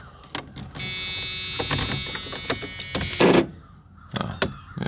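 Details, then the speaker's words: 1985 Merkur XR4Ti after a timing check and fuel filter work, start attempt off the jack stands: harsh, rapid buzzing chatter for about two and a half seconds, engine never turns over; battery has no power. "battery got no power. That's not good. That's probably not good."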